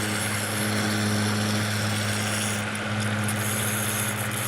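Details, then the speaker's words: Solar-battery-powered water pump emptying a pool about 5 hours in, nearly dry: steady motor hum with a rough, uneven rattle as it starts sucking air; should be shut off, not run dry. "And the important thing with these pumps, you're not supposed to let them run dry. So, I mean, if it starts sucking air and stuff, it's time to turn it off."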